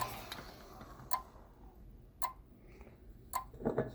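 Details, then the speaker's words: Auger electron spectrometer analyzer controller relay clicking about once a second, then a quick cluster, while heated with a heat gun; fine and high-voltage supplies oscillate from a thermally unstable component, and cool spray stops the clicking. "relay that's clicking find supplies oscillating quite a bit high voltage is oscillating quite a bit"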